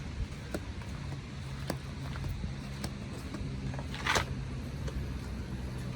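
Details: 1933 Cadillac V12 Town Coupe, frame-off restored, electric fuel pump, started on a roughly 93–96°F day: quiet, steady low hum with no knocks or misses, only a few faint clicks; a smooth, even, normal idle.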